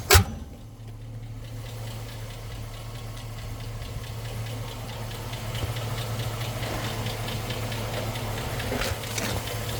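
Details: 2006 Chevy Silverado V8 idling steadily with a fast, light ticking on top, coming from an exhaust manifold leak, not lifter tick.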